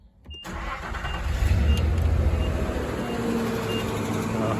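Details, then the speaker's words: Nissan that starts and runs well otherwise: cranks and catches, then light quick ticking over uneven idle, worse than on a similar Nissan; valve train tick, cause unknown, owner wonders about a tune-up. "Oh, it sounds like there's a couple on this one. Yeah, it's a little worse than the other one."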